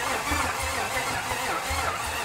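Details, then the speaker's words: 1955 Buick Special parked since 1968, first start attempt with eyeballed timing: starter turns over sluggishly and unevenly without catching until a jump pack is added; slow cranking from weak battery. "All right, we need a little more juice."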